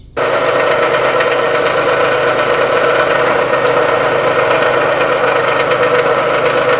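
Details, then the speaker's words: 2014 Dodge Avenger 2.4 L four-cylinder running: a steady, gritty grinding rasp. The main cause is a bad idler pulley, and the serpentine belt tensioner is also noisy; the fix is replacing the idler pulley, tensioner and serpentine belt. "main cause of this noise is a bad idler pulley but the serpentine belt tensioner is also making noise"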